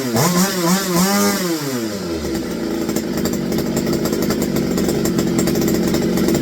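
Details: McCulloch BP1 balance-piston two-stroke chainsaw after a carburetor kit, running off tank fuel: blips up and down, then settles into a steady, crisp high buzz with even firing; sounds healthy and responsive.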